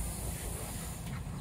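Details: Steady, even hiss of water spraying with no sputter or pulsing: a sprinkler zone running normally on a manual/cycle run from a Nelson EZ Pro Jr. 8300 Series irrigation controller.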